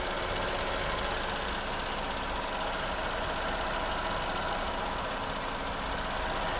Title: Corsa E Rattling Sound